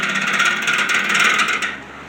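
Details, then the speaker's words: Patton U2-1479 14" high-velocity floor fan, worn, on its first run. It spins up with a dry, scratchy rattling chatter over a hissing whir, then fades as it coasts down. It is free-spinning, not seized; the bearings need oil and the washers sound like they need replacing. "Those bearings do not sound like they're too happy. So yeah, I think I'm gonna stop right there. I mean, the bearings are definitely in need of oil, but it sounds like those the washers in that thing definitely need to be replaced."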